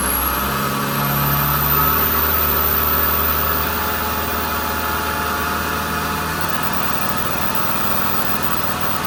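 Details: Kubota combine harvester diesel, under 1000 hours, after turbo replacement for a failed turbo (heat suspected main cause); steady even run, smooth low drone, faint high turbo whistle, no knocks or rubbing; healthy engine.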